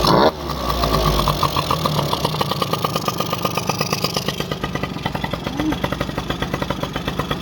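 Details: Honda AF18E engine swapped into an AF09 scooter, start-up with new part fitted showing fuel inside: catches right away and settles into a rapid, steady popping idle with even beats, no misses or hesitation.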